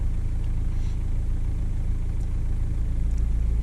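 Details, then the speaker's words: VW Golf/Jetta Mk5 TDI diesel at idle, scan tool cycling the EGR valve between 5% and 95%: steady idle clatter with a slight tone shift as the valve switches; normal idle, EGR responding. "Basically opening the EGR, fully open, fully closed. That's cool, and you're seeing the effect it's having on the engine speed, air quality."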